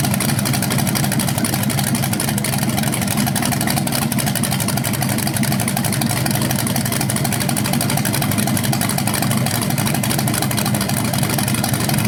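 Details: BluePrint 396 big-block crate engine for a 1970 Camaro SS, first run outside after oil priming and a timing check: deep, steady V8 idle with an even firing pulse and no knocks or misses. It sounds healthy with no leaks.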